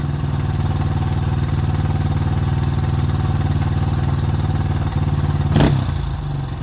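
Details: 2005 Honda CRF150F that previously wouldn't start and idled high, after valve adjustment and carburetor tune-up: single-cylinder holds a steady, even idle with a clean, regular beat, a brief blip near the end, and no misfire or clatter; normal idle.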